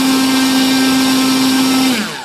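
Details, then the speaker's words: Volantex/Lanyu ASW-28 V2 sailplane with a replacement ESC, static bench full-throttle test on the stock prop. Clean steady high whine, then a smooth wind-down with no roughness; about 15.48 A, roughly 165 W. Healthy. "so we're gonna go ahead throw cuts off bring it up [Applause] looks like about 15 amps bottle"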